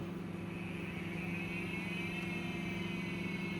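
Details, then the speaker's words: Olivetti M21/M24 PC with an MFM hard drive, possibly a replacement for the failed Seagate: low hum, whine slowly rising in pitch, faint rapid ticking about four times a second, heavy cogging; drive struggling to spin up, heads noisy. "Yeah. Ooh, the noise, the heads. The cover decided to just. So I think it's still not happy."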